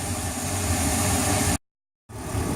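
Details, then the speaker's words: Boat idling after a fix for hard starting and a 4,000 rpm limit: steady, even, smooth low rumble with no stumbles or knocks. Ran two minutes with no issues. "that's a successful day there's I've been riding for two minutes now no issues"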